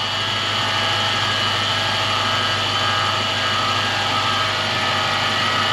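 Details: Lexus 3UZ-FE V8 idling evenly under a steady high whirring whine; a stethoscope on the rotating assemblies points to a worn idler pulley bearing.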